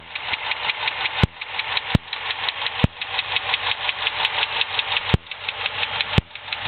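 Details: 2006 Dodge Charger SRT-8: quick even ticking about three per second over steady idle, unchanged at any speed or revs, from top right of engine facing front; stuck lifter there, confirmed and fixed.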